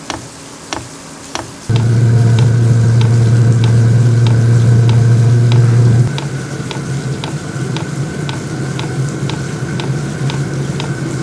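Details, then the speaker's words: VEVOR compact diesel heater, first run: steady fan hum with crisp fuel-pump ticks about four a second, hum dropping partway as it leaves startup phase (113 W) for running (21 W) after about 3 minutes; normal startup. "Okay, so after about 3 minutes, it is running. You can definitely hear it, you can definitely feel it."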